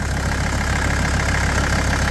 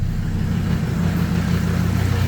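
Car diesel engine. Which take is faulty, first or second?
second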